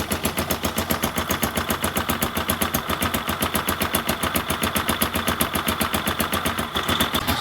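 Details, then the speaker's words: Single-cylinder motorcycle engine at low rpm after Mesran Super oil is added to the Kixx 20W50, a quick, even putter of firing pulses with no knocks or misses; normal idle, smoother than before. "tambah Mesran Super, idenya jadi lebih halus, tidak seperti sebelumnya."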